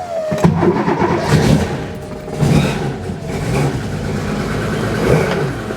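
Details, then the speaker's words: Porsche 911 started after replacing the leaking fuel tank, upgrading sway bar bushings and changing filters: catches promptly, blips up and settles to a steady, even idle with no misses or knocks; running well. "Harry is back running again and doing well."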